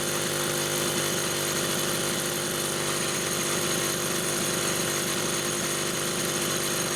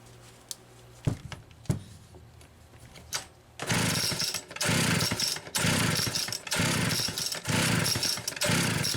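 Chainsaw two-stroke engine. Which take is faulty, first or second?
second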